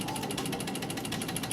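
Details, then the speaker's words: Audi S4 Quattro 2.7 turbo with the key on and the engine off: fast, even throttle body clicking about ten times a second, with random stalling and no-start over bumps; traced to a bad main computer ground, sensor ground spiking to 12 volts. "And you can actually hear that clicking sound right now. This is his symptom, that this car will not start right now with this noise. And what we found is that noise is actually this throttle body assembly."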